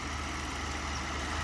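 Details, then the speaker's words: 2009 BMW 750Li with an intermittent tapping complaint, suspected timing chain, lifter or oil quality: smooth even idle, steady hum, no tapping at this moment. "Engine sounds fine."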